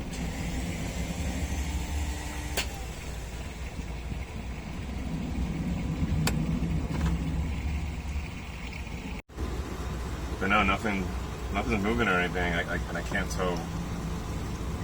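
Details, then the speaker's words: Sailboat's inboard engine on turning the key: slow, uneven cranking chug about three beats a second that never catches; failing starter motor, later confirmed as the starter and a replacement ordered. "he's not good noises coming from the starter or something I don't know we played out pretty good my intuition was accurate it was a starter"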